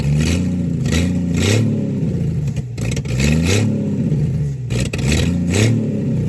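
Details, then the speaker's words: 1963 Plymouth Valiant slant six with a Holley 1920 carburettor. It has no idle and acts like a big vacuum leak, staying running only with the choke held on. The engine surges and sags unevenly, rough and hunting. "It kind of sort of runs okay as long as you hold the choke on, which is, you know, typical slant 6 stuff if you've ever experienced the Holly 1920."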